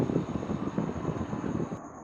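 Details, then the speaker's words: Gree AC outdoor unit starting and running normally after temperature was lowered from 27; steady fan whoosh, soft low pulsing, faint high whine. F2/F3 error usually caused by outdoor sensor on Gree AC; normal running. "Okay, start ஆகிட்டு இப்போ உங்களுக்கு வந்து sound வந்து தெரியும்."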